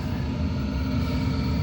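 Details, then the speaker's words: Chinese diesel heater running after its factory fuel pump pipe clamps were tightened; the loose clamps had let the pump suck air, causing bubbles and burner cutout. Steady, even low rumble with no surging or cutting out; no air bubbles now. "So I've got it now so there's no air bubbles there, as you can see, pumping round."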